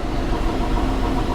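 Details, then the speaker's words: 1985 GMC Sierra 1500 after the pushrod and valve adjustment repair, some vacuum hoses disconnected: steady, even idle with a low rumble and no miss or shudder. The exhaust no longer spits; contaminated fuel remains in the tank. "running really well and when you get under here you used to be able to hear the exhaust spit and it will be like pot nice and smooth now"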